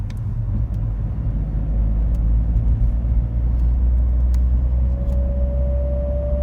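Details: BMW X3 E83 interior while driving: low road rumble, then a thin steady whine that starts around 45 km/h and disappears at 50 km/h; speed-related only, not wind or air conditioning; cause unknown.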